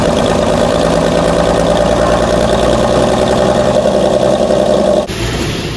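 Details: 1964 Dodge Dart station wagon, 170 slant six with push-button automatic, revived after 25+ years parked outside: loud, unmuffled idle with an even, steady beat, no rattle or miss, hitting on all cylinders until shut off; normal idle.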